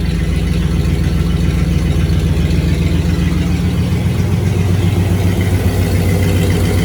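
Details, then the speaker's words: Rebuilt 1965 Cadillac Coupe DeVille V8 at idle, timing 8° advance, no exhaust fitted, after spark plugs were re-gapped: steady even burble with no more popping, just a slight residual shake. Normal idle. "Now that sounds better. Still shaking a little bit, but no more weird popping noises."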